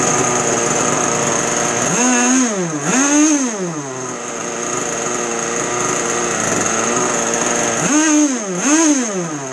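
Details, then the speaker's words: 2-stroke RC boat engine on a bench, not under load, freshly started with radio on and neutral checked: a high, buzzy steady idle that blips up and drops back twice cleanly without stumbling; normal throttle response, tuning fine for a bench setting. "Okay, that's actually pretty good for a bench setting."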